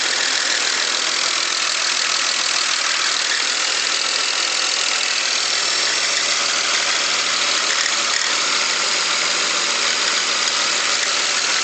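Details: 2001 BMW X5 petrol engine running with a busy, hissy top end and a fast, uneven ticking that speeds up with throttle; the owner is unsure of the cause (valves, lifters, bearings, spark plugs suggested).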